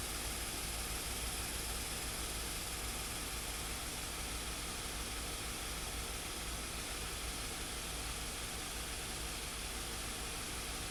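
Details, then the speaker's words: 2016 Hyundai Santa Fe after GDI injector replacement and diagnosis of a P0507 high-idle code: a steady, even idle hum with no hunting, with actual and target idle both at 650 rpm and the throttle 0.78% open; the idle is normal. "Alright, here you go. The proof is in the pudding. Actual engine speed is 650. Target engine speed is 650."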